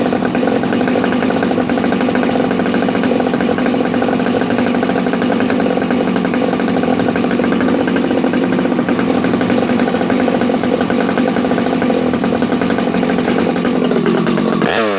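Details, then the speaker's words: Freshly built Husqvarna 371XP chainsaw on first start, choke used, carb primed by six to eight pulls: steady, fast two-stroke drone with a soft, burbly low end; running rich from assembly oil in the bottom end during break-in. "you hear how rich it is on the bottom this thing's got oil you know how I put the assembly oil in the bottom end when I'm first building the saw"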